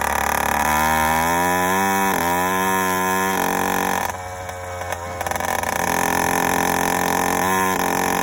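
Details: Yamaha YD100 two-stroke with Dio reed valve and 24mm OKO carburetor: burbling uneven idle skipping firings as pitch wavers; four-stroking and running rich.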